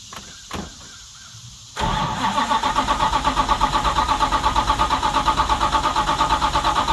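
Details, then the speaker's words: 1970 Charger 640hp Mopar stroker on fresh battery borrowed from another vehicle: strong, even starter churn about three beats a second with no firing; crank no start, fuel tank found empty. "Well, I was fairly certain that Jezebel had gas in her, but I rang the tank and it said no one's home."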